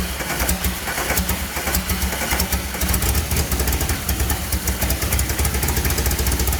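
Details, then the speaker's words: Rallygolf (VW) on first start after a 3-month rebuild with a new programmable ignition: lumpy, uneven idle with a loping stumble every few beats; one cylinder missing, injector 4 circuit open with 0 volts. "certainly as I was hearing the engine run, it definitely sounded like it was misfiring on a cylinder."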